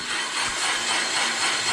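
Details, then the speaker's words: Van Norman 777 boring bar on power feed, past the uneven top chamfer: even continuous cutting hiss with no chatter or surging, taking a full clean cut all the way around. "But we're doing a full clean cut all the way around."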